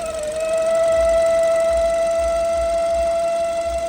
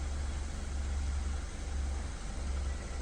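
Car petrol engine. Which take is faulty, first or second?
first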